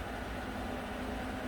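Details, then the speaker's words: Normal steady idle, no knocks, ticks or misses, of a 2014 Chevy Silverado 5.3 V8 after oil pump replacement for code P06DD; oil pressure solenoid toggle gives 40 to 54 psi at idle, system working fine. "to 54 so 14 pounds of difference and that's at an idle i'm going to save this list but it seems like it's working fine now"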